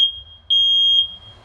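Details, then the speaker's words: Smoke detector on adapter power, alarming by itself on dense test smoke (ignored light smoke); single clean loud high half-second beep, working properly. "şöyle sinyal veriyor ve şu kadar bir Dumandan yani bu kadar bir dumanla test dumanı yaptık arkadaşlar ötüyor kendi kendine öttü"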